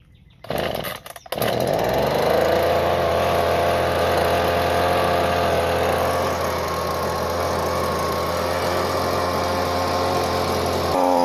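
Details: Husqvarna 125B two-stroke leaf blower after fuel lines and fuel filter were replaced to fix bogging and shutting off after a minute: catches after a brief stumble, then runs steady and smooth with a clean throttle change.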